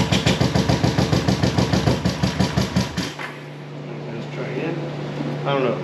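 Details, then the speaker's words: 1973 Honda CB350G twin, dead cold first start after fitting Mikuni VM28 carbs, fed from auxiliary tank: even starter cranking about three and a half beats per second for three seconds, no firing; no fuel reaching carburettors. "again i don't know if i'm getting enough fuel joke i don't have any fuel in there let me try again if we get some fuel in there no more to choke"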